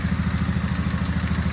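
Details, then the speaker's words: 2002 Polaris Sportsman 500 (a 425 converted to 500), rebuilt motor with new stator, CDI, fuel pump and fuel lines and an adjusted carb, on its first start. It gives a steady, even single-cylinder idle with no misses or knocks; runs beautifully. "This is my first time starting it up. Runs beautiful."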